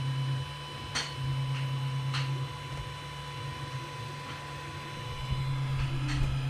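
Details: Creality CR-10 3D printer after installing vibration dampers: soft stepper-motor hum with brief buzzing moves and light ticks, quiet and even, much quieter than before.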